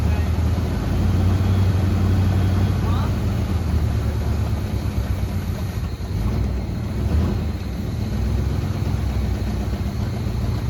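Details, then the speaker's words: Grandpa's 1974 Chevy C10 V8 after sitting about 5 years, fed by an inline fuel pump from a temporary tank: deep steady low idle rumble, no stalling or surging; fuel delivery working, idling normally. "That's not a bad had idle for sitting for what, 5 years?"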